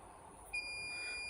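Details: Transformer hipot test at up to 4,000 V AC range, leakage trip set to 1 mA, about 50 µA leakage: low hum, then a pop and steady high-pitched alarm as it likely arcs over around 3,450 V; tester trip.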